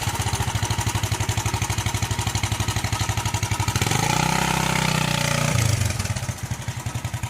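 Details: 41-year-old imported Honda XL125S after valve adjustment with seized adjuster freed: even single-cylinder thump about four beats a second, clean rev and return to idle, no popping or missing.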